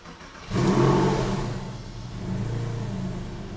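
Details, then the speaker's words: Porsche 996 Tiptronic after an engine-out service (IMS solution, new flange seal), first start and drive: it catches and revs cleanly, then settles to a steady idle with oil pressure up and no knocks or ticks. It sounds healthy. "does sounds great oil pressure is up to pressure nice all sounds good preliminarily"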